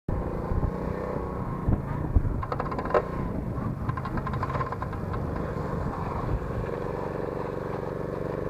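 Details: Lifan 50 moped, chain guard removed: small single idling with rattly metallic slapping that comes and goes, loudest mid-clip; chain beating against the fender without its guard.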